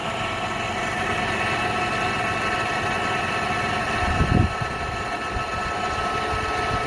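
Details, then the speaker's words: 1998 Honda Prelude H22A4, first start after engine removal, head gasket and oil seal replacement and reinstallation: starts first try, oil light goes off, smooth even idle with one brief thump, no ticks or knocks; normal idle, power steering fluid may be low. "oil light went off started up the first try"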